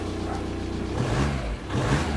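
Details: VW Caddy 1.9 SDi diesel, just reassembled after the ECU was removed over a no-throttle, limp-mode fault: steady idle, then revs climb cleanly and settle back. The throttle works, though the owner still plans to remove the TPS.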